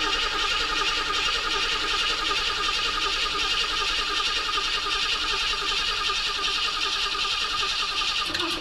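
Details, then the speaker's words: 1976 Ford Ranchero 500, 351 Modified 400 engine said to need main and rod bearings, first crank after reassembly with oil added: steady starter whirr with an even chug, spinning freely without firing. Normal cranking. "Alright, we got turnage."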